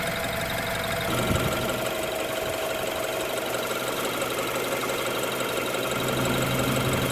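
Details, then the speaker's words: 2016 BMW X3 direct-injection engine after engine flush and AMSOIL 0W-20 synthetic oil change; smooth even warm idle with light fast injector ticking, about three per second, little other engine noise; normal idle with injector tick. "That direct injection is ticking away. It's good. Very good motor now."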